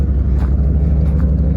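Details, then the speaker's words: 1991 Chevy C1500 V8, 181,000 miles on odometer, engine possibly only about 2,000, idling low and steady with even burble, no misfire, after new fuel pump, tank and filter; some whirring from accessories. "Sounds good. Doesn't sound like it's missing or anything. The engine runs smooth."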